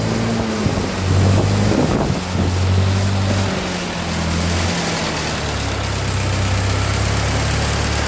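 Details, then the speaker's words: 1948 Ford 8N tractor during rebuild, just started after sitting, oil pressure slow to come up: steady even beat settling to a slightly lower speed, wind over mic, no knocks; runs smoothly. "I told you this thing runs good. Just wait for some oil pressure. That'd be nice. Sometimes when they've been sitting, they're pretty slow to pick it up."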